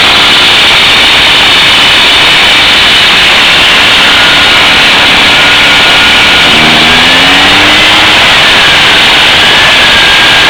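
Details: Echo backpack leaf blower, slightly warm start on choke: loud, steady high-pitched two-stroke drone with fan rush, holding speed evenly after a brief pitch change; running strong and healthy.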